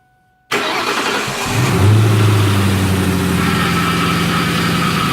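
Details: 2004 Ford Mustang convertible: a whine from the engine on start-up and stopping, changing when the brake pedal is touched. It cranks, catches and idles with a steady whine. There is a front driver-side leak and power steering fluid below minimum, which is suspected. Not confirmed.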